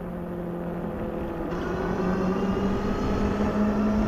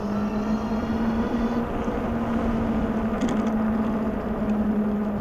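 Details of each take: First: Globalkeep MA-S electric motorcycle riding on pavement on aggressive knobby fat tires. A steady, low drone rises slightly in pitch with speed over light wind: normal knobby-tire road hum. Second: Globalkeep MA-S electric motorcycle (4000 W peak motor) with aggressive knobby fat tires, ridden up to speed on pavement: a steady low hum under the road noise; the knobby tires hum noticeably.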